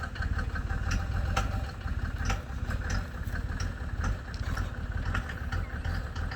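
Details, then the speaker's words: 1987 Mercedes W124 turbo diesel, 150k miles, cold start with heavy smoke: sharp, uneven knocks at about two a second over a rough, lumpy idle; other owners suspect the first fuel injector knocking hard, unconfirmed. "you can hear the hard knock i've i've discussed this with a couple of other mercedes owners and they seem to think it's the first fuel injector kind of knocking really hard"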